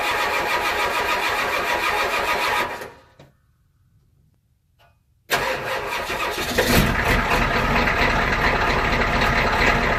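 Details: 1993 IDI diesel truck, stock injection pump before any fuel adjustment: cranks, falls quiet briefly, then catches and settles into a steady, even idle clatter; normal start and idle.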